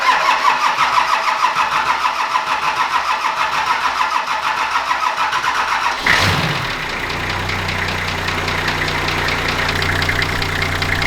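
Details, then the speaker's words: Nissan GQ Patrol TD42 diesel, jump-started, previously overheating: starter cranks, catches and settles into steady slightly slow idle; idle low, tachometer dead from broken wire, idle to be adjusted at fuel pump. "I can definitely hear that the thing is a little bit low on the idle side now the tachometer isn't working"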